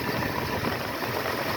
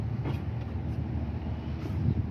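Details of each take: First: 1976 Ford F-150 with Motorcraft 2100/2150 carburetor during adjustment, warm idle slightly uneven and shaky with slightly low vacuum; owner suspects a vacuum leak; rough idle. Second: 1976 Ford F-150 with Motorcraft 2100/2150 carburetor, air cleaner off, just started before idle mixture screw adjustment with vacuum gauge: steady low rumble, even unhurried beat, no knocks or misses; vacuum fairly good; normal idle.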